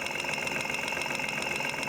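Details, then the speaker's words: Petrol engine at idle, heard through a mechanic's stethoscope on a fuel injector: crisp, even ticking about seven a second, confirming the injector is getting a signal (fuel flow unconfirmed); normal. "yep see I can hear it ticking that doesn't mean the fuel's flowing through it but at least it's ticking I know I'm getting a signal to it"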